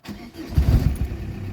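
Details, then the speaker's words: Audi A4 B5 1.9 TDI AFN, first start after timing belt snapped while pulling away and was replaced: brief cranking, then catches at once and settles into a low, even idle; runs evenly without problems. "silnik pracuje równo bez najmniejszych problemów odpaliła"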